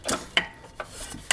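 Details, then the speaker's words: 1995 Yamaha G14 gas golf cart that stopped and won't crank: pressing the pedal while rocking the clutch gives sharp, uneven chattering clicks and slight whirl but no engine rotation; starter generator needs new brushes. "here how it's kind of like chattering a little bit and it's not going to roll the engine over because it's there here's that little bit of whirling over that tells me that the starter generator needs brushes now"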